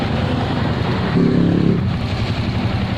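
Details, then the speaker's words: Suzuki Shogun 125 motorcycle started directly at the starter motor, since the handlebar starter switch fails: steady idle that swells briefly with throttle and settles evenly, no misfires; it runs normally but won't start by kickstarter. "langsung kita starter karena starter tangannya ini error jadi kita langsung dari bendiknya saja teman-teman tuh motor bisa nyala ya teman-teman motor bisa nyala menggunakan"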